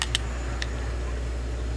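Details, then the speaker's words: McNally Trigger install on a Glock: crisp metallic clicks as the slide cover plate slides up over the extractor, confirming the plate is properly seated. "Here, click. If it clicks, you're righteous."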